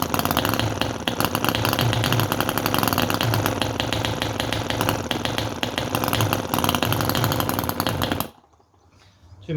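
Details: Microcosm R28 4.3cc V-twin model engine with float carburettor, started on choke: fires in fast uneven bursts about four a second, stumbling then dying; rough running, too much choke suspected.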